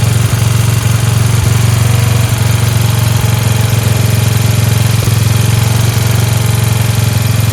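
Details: Free Dayton lawn tractor with 11 hp Briggs single-cylinder engine, running on its own after choking: steady, smooth, quick even beat; idle sits a little high with a spring disconnected; otherwise healthy, "sounds like a hot rod."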